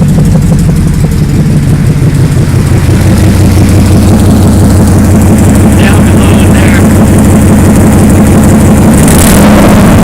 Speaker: I have an exhaust leak now, pretty bad. You see, you'll hear it start up. That's an exhaust leak.